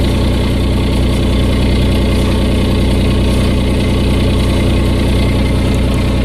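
Steady idle with a loud, low, raspy puffing that pulses with the firing, louder than a sealed system; exhaust leak.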